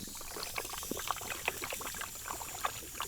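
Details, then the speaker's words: 1986 Dodge Diplomat police car, parked 25 years, at high idle: irregular gurgling and popping as coolant boils and bubbles over; upper radiator hose swelled and pinholed, owner suspects the thermostat is not opening. "while I'm doing that the thing's just starting to get hot like really hot you can hear the thermostat like just bubbling over"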